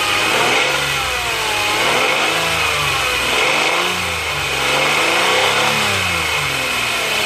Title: santa fe 2010 whining noise